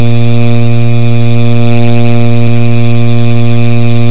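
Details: Rusted ceiling fan running with a loud, constant low hum and a buzzing edge that never changes pitch; noisy fan, cause unconfirmed.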